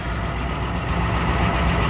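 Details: Truck "Blue" at a low, steady idle rumble with no misses or surging just after fuel filter replacement and three fuel pump primes; engine running like a top, no filter leaks found.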